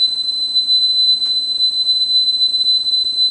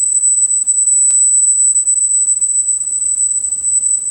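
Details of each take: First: Sony TC-850 reel-to-reel deck after head alignment, speed tuning control at normal position: clean steady 4 kHz test tone holds pitch without wavering, very close to correct speed. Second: Sony TC-850 reel-to-reel deck, capacitors already replaced, speed calibration: 8 kHz test tone reads 7.89 kHz, a touch flat, so tape runs slightly slow before adjustment to 8 kHz.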